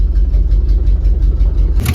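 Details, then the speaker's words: 1970 Jeep Wagoneer with Buick engine, automatic, sitting 22 years, carburetor untouched, smelling very rich; lumpy idle with uneven chuffing exhaust puffs, suspected exhaust leaks and dead cylinder 7 likely needing a wire; rough idle. "I actually think that noise is just exhaust leaks. And number 7 probably just needs a wire or something silly like that. It does smell really rich."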